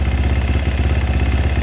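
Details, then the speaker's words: 2020 SSR Motorsports SR300 single-cylinder dirt bike with new Lectron carburetor, idle turned down, throttle slack adjusted: low, steady thump at even moderate idle, no hunting or misses; normal healthy idle. "this sounds a lot more like a race bike now doesn't it holy crap what a difference"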